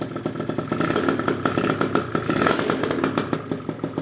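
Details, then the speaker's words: Freshly built PM Tuning 172cc Gilera Runner two-stroke Piaggio scooter engine, third start, warming during heat cycles, coolant recently bled: light ring-ding idle with gentle throttle blips rising and settling evenly, no rattle or misfire; running healthy. "Can you believe the runner is finally running? It's running, boys."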